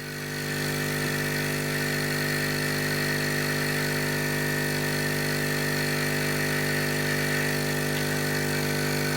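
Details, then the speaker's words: Hailea ACO-318 45 W laser air-assist pump without the garden hose on the outlet, sitting on folded microfiber cloth: constant buzzing hum, deep bass tone, vibrating against the table. "then we just take it off there's like a deep humming noise if you [Music] listen"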